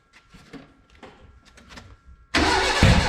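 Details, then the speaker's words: Renault 5 GT Turbo, first start: quiet clicking, then loud cranking that sputters without running. The trigger first-tooth angle was set to 80 instead of 50, so it won't start. "I squared it up the first tooth angle is actually 50 and I had it set at 80 hence it wouldn't run"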